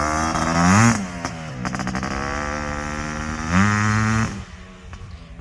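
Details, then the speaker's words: Suzuki LT500R Quadzilla 500cc two-stroke with FMF pipe after a jetting change, possibly not fully warm: revs held high with a faint uneven burble and sputter at the top, jetting a hair rich, which clears once the pipe heats up. "it's just a hair on the rich side still you can hear it kind of giving that sputter up top but when you really get on it and you get some heat in the pipe it clears up and it runs really well up top"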